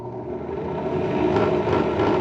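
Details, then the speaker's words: HDC DPMINI15 benchtop drill press, likely early 2000s, being revived. The motor spins up with an even, rising whir and no rubbing or rattle, a little slow to get up to speed; normal start-up, though the belt seems slightly loose. "does turn on. Sounds fine. A little slow on the uptake. It's not abnormal. It sounds like the belt is a little bit loose."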